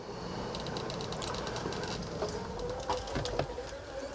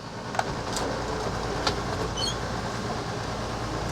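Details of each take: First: Coachmen Sportscoach 380MBS Class A diesel pusher (Freightliner XC) slide-out retracting, gummy grease found: labouring motor hum dragging lower with creaks and clunks, a real struggle; binding on a sagging flipper board, maybe not lubrication. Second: Coachmen Sportscoach 380MBS Class A diesel pusher (Freightliner XC) slide-out after cleaning gears and rails with mineral spirits: steady even motor drone, no clicking, binding or grinding; normal operation restored.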